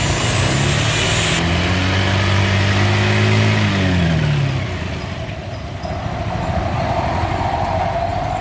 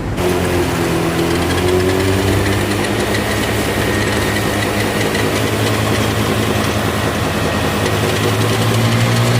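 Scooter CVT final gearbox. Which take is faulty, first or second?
second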